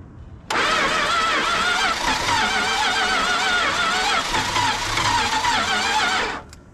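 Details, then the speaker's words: 1968 Dodge Charger 318 V8 that sat in a field since 1984, fitted with a swapped distributor, new points and condenser; the timing is being adjusted. Starter churns steadily for about six seconds, almost catching but not starting. "that sounded like it wanted to do something let's put a little bit of timing in it try again that almost wanted to go"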